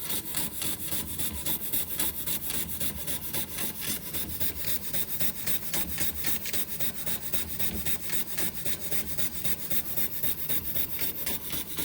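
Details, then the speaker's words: Josef Falk 456 overtype model steam engine, restoration not yet finished, running under steam pressure: quick, even chuffing beats about three to four per second over a hissy background, sounding smooth and healthy; normal running. "Look at that. I love it. It even sounds like a steam engine."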